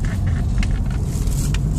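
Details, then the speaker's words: 2008 Audi after fixing a cylinder 3 ignition coil that had water inside and erasing faults, driving at 100 km/h: smooth, steady engine and road drone with no shudder, misfire or engine light. "Now, no light engine on, no vibration when the drive 100 is now. No uh problem at all."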